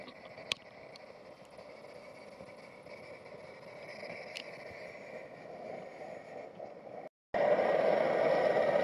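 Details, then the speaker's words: Over-20-year-old MSR XGK multi-fuel stove just lit while priming, kerosene still burning at the bottom with a bit too much pressure; steady hissing roar that jumps louder midway; loud roar while priming. "so that's the sound of the thing going it's got a lot of karo still burning at the bottom and a little bit more pressure in it"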